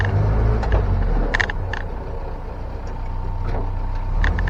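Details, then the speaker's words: 1961 Land Rover Series 2 109" four-door station wagon while driving: loose irregular clatters over low road rumble from the tailgate rattling around; it needs better rubber bumpers. "It's the tailgate rattling around. It just needs better bumpers, rubber bumpers."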